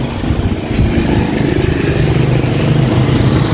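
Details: Honda XRM 125 single-cylinder running two days after an engine overhaul: rough, uneven low knocking clatter under the exhaust note; cause unknown.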